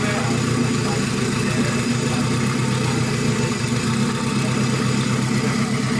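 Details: Acura RSX with stock K20 and completed turbo kit, first startup after build: smooth, even idle with steady low hum, no knocks, misses or whines; engine sounds really good, only a small fuel fitting leak fixed.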